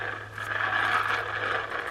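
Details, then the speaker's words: Shimano Baitrunner BR 4500 fishing reel, a three-ball-bearing reel, turned by hand before service: continuous gritty scraping grind; bearings worn out, to be replaced. "And you can just hear they are just gone. So I'm going to show you how to do that."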